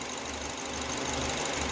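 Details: Citroën C4 2.0 on gasoline, idling while warming up (88 °C), manifold pressure 250, throttle body cleaned and reset, new air filter, checked for belt noise: quiet even idle with soft regular pulse: normal idle.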